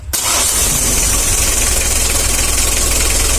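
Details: Mitsubishi L300 diesel, which was hard to start in the morning: after a short crank it catches and settles into a steady diesel idle clatter with no misfire or stumble. Normal start and idle.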